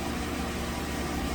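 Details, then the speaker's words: 2015 Nissan Rogue 2.5 inline-four after replacing the stuck intake cam timing solenoid, intake timing now reading 9 degrees instead of about 38: smooth, even idle with a low steady rumble and no misses. Normal idle after the repair. "it's back together and running just started it now i see the intake valve timing is at nine degrees i think it was at 30 or something 30 something last time"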